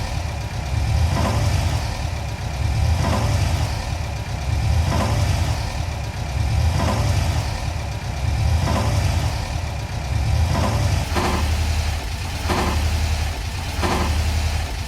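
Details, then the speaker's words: 1994 VW Kombi van reversing slowly into a garage: low engine rumble with repeated hollow metallic clunks growing quicker and sharper, noise started after carburetor and engine mount replacement; cause unknown. "então agora a gente tá com uma nova saga descobrir da onde está fazendo esse barulho aqui ó no filme cagou prova esse mico o celular tá tá fazendo esse barulho quando a gente dar ré na bagaceira"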